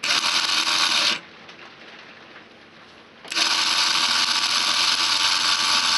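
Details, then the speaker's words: 1987 12V alarm bell from a CQR bellbox, run on a 12V alarm battery: the motor drives twin spring-loaded metal strikers against the casing, giving a loud, fast, even buzz-rattle that pauses briefly and then resumes. Normal operation. "that's ways because the metal the twin metal tongs are now striking the metal which creates that ringing sound"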